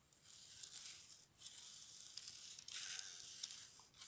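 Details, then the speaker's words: Sand grinding inside the lens housing of a second-hand Sony HX400V bridge camera showing error 62:10, heard as dry gritty scratching in short bursts while the barrel is turned by hand; housing to be cleaned before fitting a new lens. "I don't know how well you can hear it, but it's a sand that is grinding inside."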